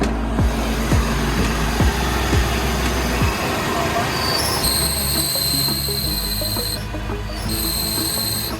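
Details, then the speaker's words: Renault Kwid idling: high, steady chirping squeal when the clutch pedal is pressed, from a worn clutch release bearing found completely broken and burnt. "पक्षियों के चहचहाने की आवाज शुरू हो जाती है। यह हो रहा है। इसलिए यह बेहद महत्वपूर्ण है। बीयरिंग शोर।"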